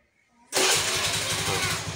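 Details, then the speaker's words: Honda Beat carbureted scooter that wouldn't start because of a shorted brake-switch wire draining the battery, tried on a borrowed good battery: quiet, then catches instantly and settles into an even, fast putter; starts first try. "langsung nyala Jadi intinya tadi itu nggak bisa nyala karena ada kelistrikan di sini"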